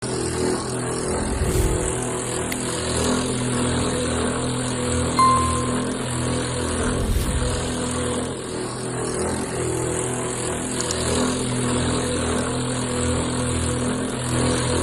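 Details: Water tank float valve (replacement for an old one that had filled with water) vibrates under inflow pressure, steady low droning hum shaking the house walls when showers or washing machine run; since resolved.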